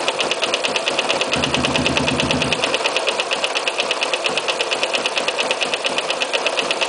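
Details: Sniper idling: fast, sharp ticking about three per second sits steadily over the engine, a clear knock from inside the motor.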